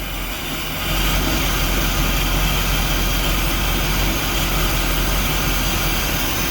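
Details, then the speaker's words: Volvo Penta 5.7 V8 in Chaparral boat, years-stored varnished fuel: rough, uneven running only while brake clean is sprayed into idle air control, dies when stopped; pump runs; fuel starvation, fuel control unit/water separator needs rebuild. "See, it'll run if I'm giving it brake clean."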